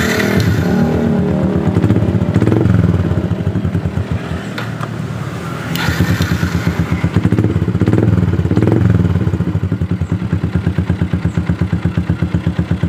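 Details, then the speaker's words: Yamaha Jupiter MX whose starter only clicked despite a new battery, after the starter relay was bypassed with a jumper and then reconnected: engine starts with the starter and runs at a steady, even low idle with no knocks or rattles. "nah motor sudah kembali normal stater bisa nyala"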